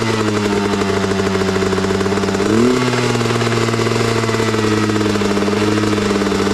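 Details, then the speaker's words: 2003 Honda CR250R two-stroke dirt bike, cold start on choke: fast steady buzz with revs hanging well above normal idle; owner suspects throttle stop adjusted too far out and turns it in, unconfirmed. "It's revving up way too high. I think this throttle's adjusted way too far out. I'm going to put this in a little bit."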